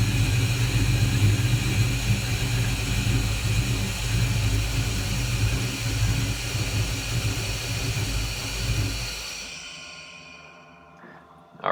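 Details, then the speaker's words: VMP Gen3 2.65L Terminator Cobra, first start after build: deep lumpy rumble that hunts and wavers, rough because fuel system and injectors not yet primed, though it fired first try. "you'll tell on this first startup that the car doesn't really have fuel and all the injectors or everything it'll run a little bit rough but it did fire up on the first try"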